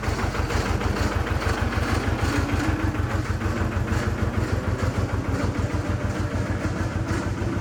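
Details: Amida Benford 32D articulating site dumper, two-cylinder hand-crank Lister diesel, Newage PRM 3-speed gearbox: same gear noise after topping up gearbox fluid; steady diesel chug about two beats a second with gritty rasp; owner says noise comes from the rear, not engine or front; gearbox grinding suspected.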